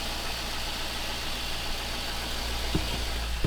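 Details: Chevrolet Silverado V8 just started after the mass air flow sensor was reconnected (it earlier needed throttle to keep running) and the radiator was installed: a steady, even idle holding by itself with no stumble and a couple of light clicks. Normal idle.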